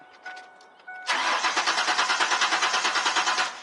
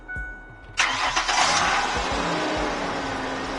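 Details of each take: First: 1998 Ford Explorer 4.0 that cranks but won't run: starter turns the engine with an even, steady churn about three beats a second but it never catches; fuel problem traced to a failed fuel pump, replaced. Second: 1998 Ford Explorer 4.0 that cranked but wouldn't run, after fuel pump and sending unit replacement: a few quick cranking beats, then the engine catches promptly and settles into a smooth, steady idle; starts and runs normally.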